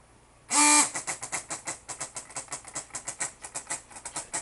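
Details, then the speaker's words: Mini vacuum table pump with reservoir and diaphragm vacuum switch whose contacts cut the motor in and out: sharp burst on start, then even pulsing of about six or seven strokes a second; normal vacuum pump cycling. "the sound it makes as the motor cuts in and out by the switch"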